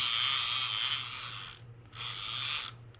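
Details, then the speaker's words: Daiwa Saltist LD50 two-speed reel: thin, quiet, high-pitched ratcheting in two short bursts as line pulls off, a weak drag clicker. The reel also has no anti-reverse and cranks hard at higher drag; the cause may be the pawl or a part inside, not yet known. "The clicker on this is pretty weak. Let's put this in drag so you can see it. Pretty low."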